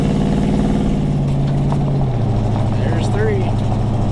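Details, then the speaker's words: 1970 Chevelle V8 on the road right after the transmission was reinstalled: steady, even low rumble with a smooth pitch drop as revs ease. Oil pressure, temps and charging are good; normal running. "still sounds good oh pressure's good temps good charging can't ask for much better than that"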